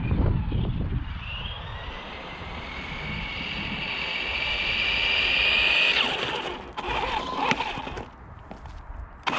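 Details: HG-101 1/10 short course truck, 550 motor on 2S, after fixing out-of-box issues (suspension adjusted, body trimmed from rubbing rear wheels), speed run about 19 km/h: motor whine climbs steadily as it speeds up, no grinding or clicking; runs clean.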